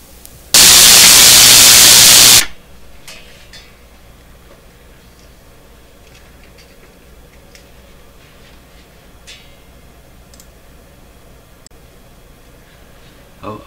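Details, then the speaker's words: Westinghouse Model 1029 multiband tube radio on the bench: a sudden very loud hissing static blast for about two seconds, then faint crackles. It comes from a loose grid cap lead wire, before the four grid cap leads were replaced. "so uh what happened there was uh my ears got blown right off um yeah my ears got blown right off that's for sure"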